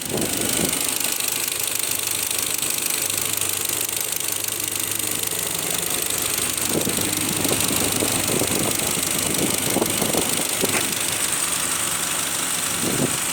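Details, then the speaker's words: Audi Q5 warmed up to operating temperature at idle: a light, uneven ticking knock about three per second over a hissy engine note, seemingly from the fuel rail or manifold area; source not pinned down. "Вот прогрели до рабочей температуры, стук появился. Стук идет где-то со стороны, вот прямо как будто с рампы, либо вот с коллектора, где-то вот в этой области."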